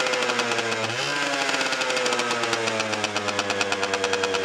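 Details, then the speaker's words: 1990 Honda NS50F two-stroke after sitting eight or nine years, on the old fuel, fired on half a kick with a clean plug: crisp rapid popping rising with a throttle blip near one second, then even steady warm-up idle; normal idle. "half a kick and it fired with a clean plug"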